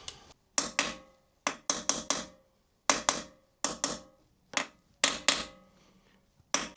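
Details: Kawasaki Versys 1000 SE steering stem bearing replacement, new race being driven into the frame using the old bearing: repeated dull, woody hammer blows with no metallic ring yet, so the race is not fully seated.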